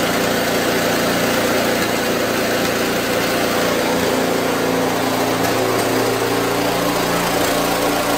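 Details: Snowblower with an electric start, refilled with new gas in late September after pre-season checks (oil level good), started with fuel on, now a small single-cylinder engine at steady, even idle with a constant buzz and no stumbles; normal idle.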